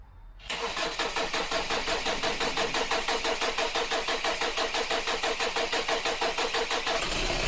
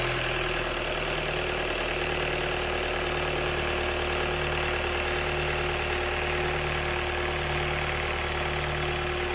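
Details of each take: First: 2012 Kia Sportage 2.0 CRDi diesel, automatic AWD, cold start: cranks briefly, catches, then runs with a harsh clattering pulse about three times a second; hard cold start from a faulty glow plug control unit (glow plug plate). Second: 2012 Kia Sportage 2.0 CRDi diesel (136PS, AWD automatic), cold start after replacing glow plug plate 367202F000: steady, even diesel clatter at idle, smooth rhythm, no misses or hunting. Normal cold idle, cold start problem fixed.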